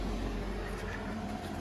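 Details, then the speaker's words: 12V roof-mounted air conditioner on a 1983 Renault Trafic campervan, fan level four (not full blast), heard from outside: soft, steady hum with a mild low drone, no rattles or surging; very quiet, normal running. "But, let me just show you what the noise is like on the outside. This is actually very quiet."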